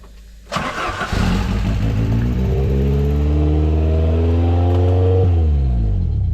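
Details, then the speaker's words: Ford Sierra RS Cosworth, recovered after being hidden 14 years, on its first start: the engine catches, then revs climb and hang high, sweeping up and down instead of settling, so it is over-revving at idle. "she over reving a bit a she"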